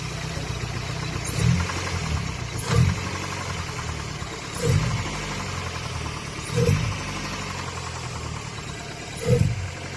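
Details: Old big-body Toyota Corolla at steady idle: a heavy, dull thump about every two seconds, engine knocking when the temperature is high. An engine overhaul is planned; the cause is suspected, not confirmed.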